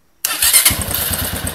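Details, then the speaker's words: Motorcycle started on a homemade 14 V lithium battery built from four groups of laptop cells: short crank, catches at once and settles into an even, steady idle; a clean, healthy start. "vamos dar partida na moto vai pegar então pegou né"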